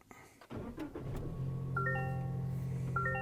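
Brief crank, then the engine catches cleanly and settles into a smooth, even idle under a few dash chimes; starts normally.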